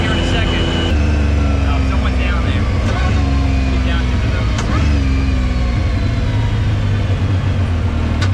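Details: 2019 Yamaha YXZ1000R SS side-by-side, 5-speed sequential paddle-shift gearbox, neighborhood drive: steady engine drone with a thin whine climbing through each gear and stepping down at every quick shift; normal gearbox whine.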